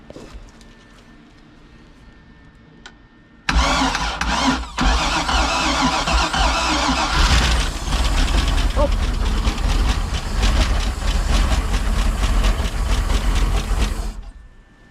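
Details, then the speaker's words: Boat engine (model "1930", name unclear), first start after starting trouble: catches and runs loud and lumpy with uneven beat; owner suspects some cylinders low on compression, also smoke, possible exhaust leak. "all right well it runs wasn't loving the sound we got a couple quicker cylinders there might have might be a little low in compression"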